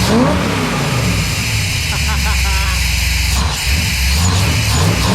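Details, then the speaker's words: Small-block Chevy 400 V8 with a newly installed JEGS Bandit EFI, idle set to 750 rpm, about 13 AFR, 11 inHg vacuum: deep, even burble revving cleanly and dropping back to a steady idle, rowdy exhaust; normal revving. "God this sounds rowdy [Music] I gotta give you a clip of the exhaust though that is awesome"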